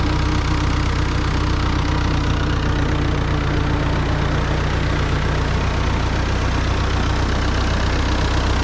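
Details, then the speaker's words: Ford 9N tractor four-cylinder just started and still cold, idling at a steady, even low putter with no knocks or misses; runs fine. "Nice, starts right up. What's nice about these tractors is you can still get parts for them. Still cold yet."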